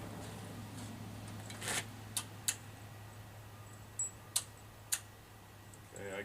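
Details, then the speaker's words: Case 446 tractor at first start during restoration, after rewiring for spark: a few sharp crisp clicks over quiet room hum as the key cycles; carburetor fuel solenoid engaging and disengaging properly. "hear the selenoid on the carburetor engaging and disengaging so that's good theoretically you could start now"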